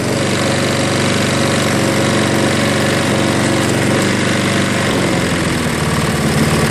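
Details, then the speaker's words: Craftsman 22-inch 6 hp Briggs self-propelled mower after carb bowl cleaning and carb-cleaner start: slow, loping, slightly uneven single-cylinder beat; low idle speed setting. "That's low idle right there."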